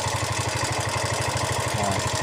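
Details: Yamaha Mio i125 scooter engine idling with a steady low pulse and a loud busy clatter over it; noisy engine at idle.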